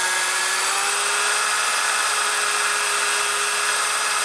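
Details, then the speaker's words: Drilling a hard set screw on a 1999 80ci Evo chopper, speed kept low so the bit cuts rather than burns: steady, moderate-pitched whine, cutting a good chip evenly with no chatter or squeal; normal drilling at reduced speed. "i'm keeping my speed down a little bit so it drills better if you drill too high of a speed it burns a bit up also it starts cutting a good chip"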